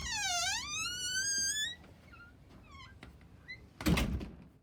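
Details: Squeaking door hinge: a loud, tonal squeal that swoops down and rises as the door swings, then a thud as it closes; fixed with 3-in-1 oil applied by glue syringe.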